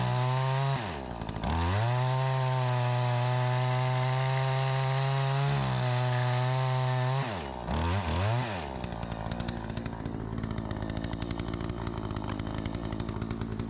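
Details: Troy-Bilt 20-inch chainsaw, bought new, after carburetor adjustment: strong steady high tone that dips cleanly into the cut and recovers fast; crisp, even running, cuts better than ever, owner thinks a bit more RPM is possible; normal running under load.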